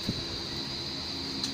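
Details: Electric stand fan, apparently 60 W, that had sat stuck for almost a year, after repair: brief steady airy whoosh with a constant high hum and no rattles or scraping; the motor runs smoothly, normal fan running.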